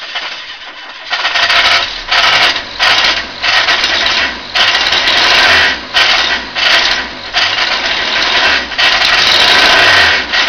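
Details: Ford Capri 2.0 Pinto engine, newly fitted, running rough with a harsh, uneven knocking clatter in surges; owner unsure whether it is bottom-end failure or something knocking elsewhere.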